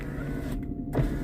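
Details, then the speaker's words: Daimler power window working again after electrical troubleshooting, when the windows had earlier clicked or failed to open: a steady low motor drone with a brief creak as the glass travels, then a soft stop. "Okay, so that window is going up and down like a good 'un."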